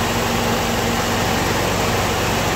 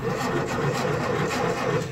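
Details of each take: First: Ford M151A2 MUTT jeep, 141.5 cu in engine, stored 20 years, left running to break in again after earlier knocking and rattle: steady, even idle with smooth low hum, no knocks or rattles. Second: Ford-built M151A2 military jeep, 141.5 cubic inch engine, stored 20 years, first crank on the start button; slow laboring crank with soft uneven chugs, no firing; weak cranking, starter works, spark not yet checked.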